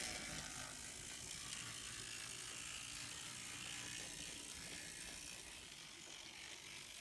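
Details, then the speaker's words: N scale Kato SDP40F locomotive running on track with shell off, normally whisper quiet: continuous high, gritty whirring with fast ratchety edge; the truck sits too close to the worm gear. "so basically the truck is sitting too close to the worm gear and that's where i'm getting noise"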